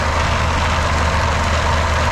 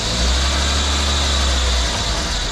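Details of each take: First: PT Cruiser GT 2.4 turbo race car on jack stands in first gear: steady engine drone with a rough, gritty whirr, like a blown gearbox gear, but the transmission is fine. Stripped passenger-side CV axle splines, open diff, wheel not driven. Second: PT Cruiser GT 2.4 turbo on jack stands after replacing a CV axle with stripped splines that caused grinding, motor mounts shot: steady smooth drone with wheels spinning in second gear, no grinding or clunking; normal drivetrain in gear.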